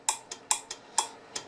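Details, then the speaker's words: Collins R-390 receiver, transmit/receive muting circuit repaired; antenna relay K101 and relay K602 cleaned with contact cleaner after about 56 years of gummed grease: crisp, clean clicks every quarter to half second with no chatter or buzz. The relay is switching properly. "hear the relay working if it doesn't do that then you're probably going to have to do exactly what what I just showed you"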